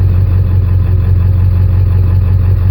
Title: 7.3 blow by rough idle twin pyrometers